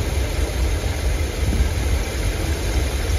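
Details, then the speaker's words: 454 V8 in a 35-year-old motorhome, first start with the new exhaust routed behind the transmission fan: deep steady rumble with even beat, no knocks or ticks, pretty quiet; temperature looking good, timing may still need setting; normal idle. "yeah that's nice it's pretty quiet"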